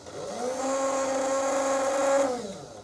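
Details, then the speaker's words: Old Tri-ang TransContinental Pacific loco motor run with wheels clear of the ground: spins up to a clean, steady mid-pitched whine and winds down smoothly; no sparks or smoke, motor appears fine. "yeah there's absolutely nothing wrong with that motor I could be wrong but perhaps you'll agree there's no sparks no more smoke that's going to keep people awake"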